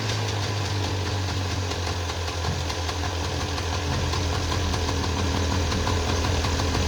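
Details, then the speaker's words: 1994 Polaris two-stroke 4x4 quad, long sitting, idling after battery charge and starting fluid; quick fairly even putter firming up toward the end, quite smoky; running again normally. "right on well there we go um that was pretty easy that's great I'm thrilled with that quite Smokey"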